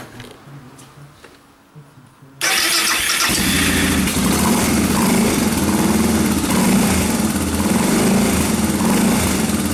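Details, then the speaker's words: Suzuki DR650 single after returning the carburetor needle clip to the 2nd position from top and priming the fuel: brief cranking, then fires cleanly and settles into a steady, even idle thump; running properly. "yeah sounds good okay what we'll do is we'll take it for a test drive when the rain eases off"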